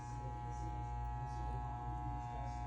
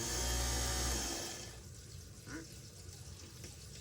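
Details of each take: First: Moen GXP33C garbage disposer, stuck: steady electrical hum with no spin-up or grinding, motor jammed and cannot turn. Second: Moen GXP33C garbage disposer after clearing a jam that made it hum stuck: spins up with steady motor hum for about a second, then winds down with no grinding or stalling, running freely. Normal running.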